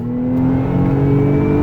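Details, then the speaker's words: 2011 Nissan Maxima SV 3.5L V6 CVT, 156,000 miles, floored from 30 mph; a clear steady whine rides over the engine and climbs slightly as the car pulls harder, drivetrain whining under acceleration. "Hear that whining sound? Let me show you. Let me give you a quick pull."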